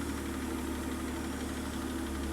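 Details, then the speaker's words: Mercedes-Benz W124 300CE with turbocharged M103 engine after full refresh (timing chain, tensioners, MLS head gasket, water pump, serpentine belt), lower compression, mixture adjusted: steady idle with faint rapid ticking over low hum; unidentified noise, cause unknown. "then I don't know what it is. If you hear it, maybe let me know in the comments."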